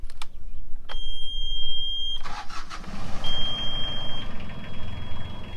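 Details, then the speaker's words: Sailboat diesel cranking and settling to idle: a steady, piercing saildrive leak alarm keeps sounding; owner checking the plastic sensor for water, suspects it may be broken; cause not confirmed. "yeah it's still going off"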